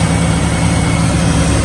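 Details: 2003 Chevy Silverado 1500 with a no-crank fault, started by bypassing the starter relay with a jumper to pin 87; deep, steady V8 idle with an even beat and no misses or knocks; normal idle.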